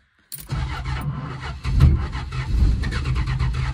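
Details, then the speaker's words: 1974 Dodge Dart Sport slant six, off the road 17+ years, fed from a gas can. Slow, laboured cranking with uneven heavy chuffs that never catch cleanly; ignition timing is far too advanced and it is very thirsty. "way too much timing this thing's really thirsty"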